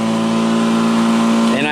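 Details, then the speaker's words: Black & Decker battery mower, third year, new replacement battery, self-propelled mode, finishing the yard: steady electric hum and even blade whir, pitch climbing near the end; hasn't slowed, earlier problem was the weak battery. "okay here I am finishing up the very last bite of my yard and still going strong hadn't slowed down any so obviously the problem I had was we battery"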